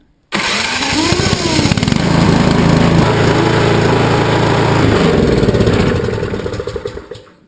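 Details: Honda HS720AS snowblower that would not start because of a clogged carburetor, blamed on ethanol fuel, after carb cleaning, on choke in a roughly 50°F garage: a single pull catches at once and runs to a steady, even chug, a normal start.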